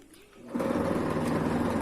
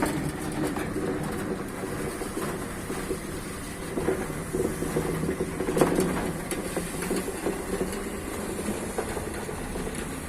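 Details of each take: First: Sliding gate motor: a steady buzzing hum as it runs, then at a certain point it slips and the gate stops moving, caused by the pinion slipping on worn rack teeth. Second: Sliding gate motor running with a steady, even drone and rack rumble and no stalls or grinding, after a broken rack section that made it slip and stop was replaced and the motor realigned to the rack.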